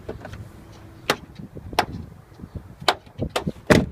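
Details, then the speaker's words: Jeep Cherokee XJ Sport door: sharp pops and snaps as the door opens and closes, caused not by the door itself but by the worn door check housing letting its pin snap back and forth. "Even when I close it. The door is popping. Now it's actually not the door, it's this little check housing down here."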